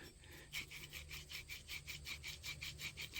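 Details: 2005 Saturn Ion front driver-side wheel bearing/hub assembly, removed and turned by hand; gritty rasping grind pulsing two or three times a second, bearing worn out and breaking up, unlike the smooth silent new bearing.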